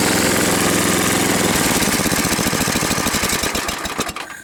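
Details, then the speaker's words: 1978 10-horsepower snowblower, 34 years old, after rebuild and impeller modification, restarted warm: single-cylinder engine running smooth and even, then slowing to firing pulses at shutdown; healthy. "I blew all the yard out the other day making sure it worked right for the next storm."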